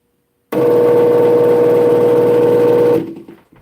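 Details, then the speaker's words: Garage door opener running about two and a half seconds on first run just after being plugged in: steady motor whine, a faint airy hiss, and possibly a humming transformer; cause unclear. "It's almost like a slight hissing sound. I don't know. Something like that."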